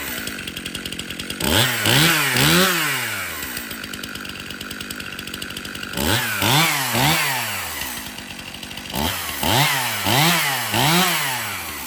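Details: Stihl MS 271 Farm Boss 50cc chainsaw after cleanup, service and new chain: crisp two-stroke idle with sharp, clean blips to high revs that drop back smoothly each time; saw sounds healthy and responsive.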